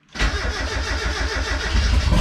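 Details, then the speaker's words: First start of a freshly built turbo Miata with a new hood dump pipe, after the crossed fuel feed and return lines were fixed: short crank, then a clean catch into a steady, even idle with a deep note. "Sounds like I have a car. The hood dump really isn't that loud. I mean, that's idle, of course."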